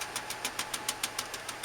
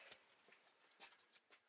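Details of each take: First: 2001 Ford E250 van with V8 Triton engine, sound checked at the exhaust at idle: sharp regular pops, about seven a second, from a dead misfiring cylinder. Traced to a failed ignition coil pack; spark plugs and coil packs replaced. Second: 2001 Ford E250 van V8 after replacing spark plugs and coil packs to cure a misfire: short crank, then the engine catches and settles into a steady, even idle with no stumble or popping; vibration gone, normal start and idle.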